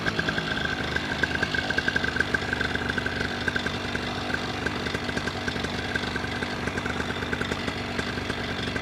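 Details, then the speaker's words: Paramotor two-stroke after a piston clean, in flight; high, steady buzz at full throttle with a faint tinny metallic ticking on top; owner has always heard it on this motor and once feared metal tapping, cause unconfirmed. "And especially when I went full throttle, you hear like this metal tinny sound. And I always have had that with this motor, and it always worried me because when I first started flying, I thought it was like metal tapping."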